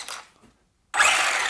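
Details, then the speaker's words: HPI Maverick Quantum2 MT Flux 1/10 brushless RC monster truck after reseating the pushed-out input-shaft bearing: drivetrain spins up into a smooth, even whirr with no grinding or binding; fixed. "yes that's better no binding there now"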